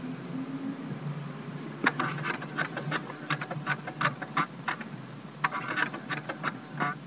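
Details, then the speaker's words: Trash-picked Brother FAX-565 fax machine, a little dirty, powering on and showing "please wait": light irregular clicks and short whirring patters for several seconds as it initialises; normal startup noise, works fine. "It's making a little bit of noise. It's a little dirty actually."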